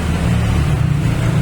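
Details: Timor engine idling after setting the ISC for a lowest idle of about 800 rpm, CO potentiometer at 3.2 V, TPS at 0.20 V and distributor timing set until knocking stops: low, even throb with no misses or knocks, a smooth stable idle.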